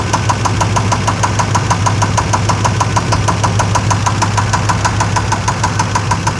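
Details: Chevrolet Suburban 5.7L, started after sitting for a few months with fluids checked and fresh gas: a sharp, even tick about twice a second at idle, beginning three seconds after startup. Source unclear. Engine ticking at idle.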